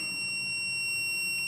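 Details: MPJA 35716 MP battery low-voltage alarm module (9-12V batteries, adjustable set point) while the set point is turned counterclockwise to raise it, toward 11.6 V. A steady, continuous high-pitched buzzer sounds because the alarm has tripped below the set point.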